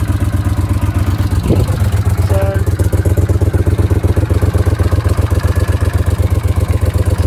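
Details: Honda CX500 twin at an even, steady idle, about four firing pulses a second with no knocks or rattles; battery charging measured at 14.2 volts; the bike sounds healthy.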